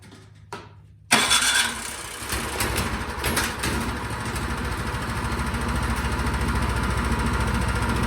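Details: Craftsman snowblower with quiet-technology muffler that would not start after sitting all summer; after the carburetor fix, it is run partially choked and primed, catching on the first pull and settling into a steady, even putter. Normal start and idle.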